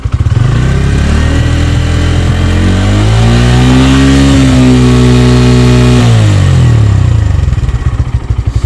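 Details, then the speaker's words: 2024 Bajaj Pulsar N150, stationary test revved to 7000–8000 rpm: smooth climb to high revs, holds, then drops back evenly with no rattle or buzz. No noticeable vibration; normal high-rpm revving. "तो देख सकते हैं लगभग हम दोस्तों यहां पर इसमें हमने अभी 7000 से 8000 आरपीएम तक किया गाड़ी को और यहां पर देख सकते हैं बिल्कुल भी वाइब्रेशंस नहीं है"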